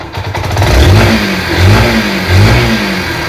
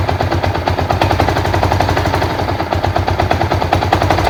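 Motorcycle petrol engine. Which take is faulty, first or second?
second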